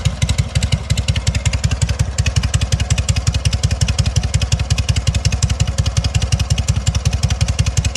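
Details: Sokół 1000 motorcycle after a full rebuild (patina exterior, 12V generator fitted), only briefly prewarmed. An even, firm thump about five or six times a second with no misses, knocks or whine; normal idle.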